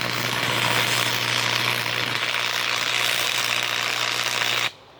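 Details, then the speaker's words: Free Miller Thunderbolt 225 stick welder, first-time user, run at full bore (maximum amperage). Loud steady crackling sizzle like frying bacon with a faint hum, cutting off clean: normal arc. "I put some amperage to that. That was full bore. That's all this thing's got."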